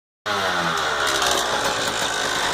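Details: 1999 CR250 two-stroke running at steady speed with a dry, clattery metallic rattle over the exhaust note; the source is unclear. Rattling noise.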